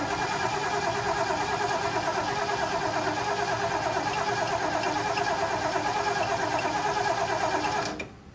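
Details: Ford 460 big block in a 1976 Lincoln Continental, 41,000 original miles, starter just freed by tapping: starter spins the engine evenly at about three turns a second for eight seconds without catching; cranks fine but no fuel.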